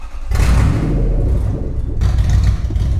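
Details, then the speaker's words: Abandoned Toyota Land Cruiser 100 series 4.7-litre petrol V8 after revival, reversing under load: rough, uneven running with stumbling low thumps; heavy misfire. "I mean it definitely sounds like it's me misfiring doesn't it in a rather big way"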